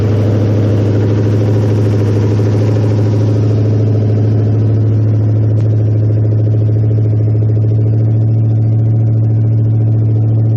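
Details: 1969 Mustang V8 first start after sitting, electric choke not yet hooked up, oil burning off the top of the motor. Deep, loud, even burble at steady idle with no misses or knocks; no smoke, good compression. Healthy.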